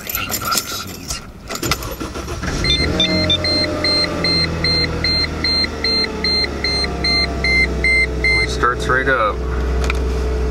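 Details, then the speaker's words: Mercedes-Benz C240 cold start at about 32 degrees after sitting since Wednesday (started Sunday), high mileage: short crank, quick catch, settled even idle under a repeating chime, no knocks or stumbles; healthy sounding for the miles. "they're healthy sounding Mercedes that's for sure for them miles"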